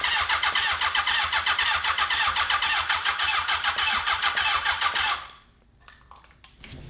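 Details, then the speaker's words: 1982 Honda CB750 750cc engine, choke on: even starter cranking at about four beats a second for five seconds without firing; varnish later drained from the carburetor bowls, so clogged, fuel-starved carburetors cause the crank no-start. "oh god the varnish is coming right out of the little drain spots these carburetors are jacked"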